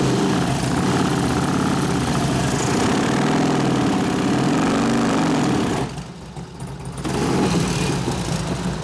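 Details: 2004 Harley FLHT 88 Twin Cam touring after cam change and tensioner bearing repair, on the stand with fresh gas and oil: fast uneven running with steady metallic clatter over the exhaust; thought to be valve rattle, not the cam. Cause suspected, not confirmed.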